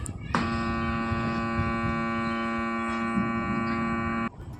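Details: Mania stand fan that runs briefly then stops and hums, spinning only when pushed: loud steady hum with no rotation for about four seconds, then cuts off; stalled fan motor.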